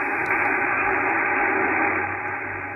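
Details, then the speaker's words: Yaesu FTdx5000MP receiving a 40 m SOTA station with no noise reduction engaged: a steady hissy roar fills the band, interference from an upstairs computer-controlled washing machine with an inverter drive motor. "i have a washing machine that is running uh upstairs and it produces a horrendous noise it is a computer controlled with a inverter drive"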